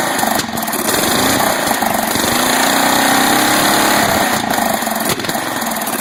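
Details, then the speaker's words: 12.5 hp flathead mower engine ("biohazard"), sat about three weeks, hunts at high revs then pops sharply and nearly stalls when backed off throttle; backfiring through the carb. Owner suspects carburetor; rust and debris later found in bowl, carb to be cleaned. "It wants to die when you back it off high, red. Backfiring through the carb."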